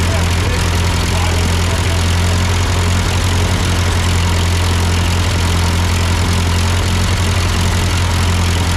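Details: Ford 8N tractor at idle with no load, just after a carburetor adjustment. It had sputtered uphill, blamed on a cheap Chinese carb; an old Marvel-Schebler ran fine. Loud, deep, steady thrum, no hunting or stalling: normal idle.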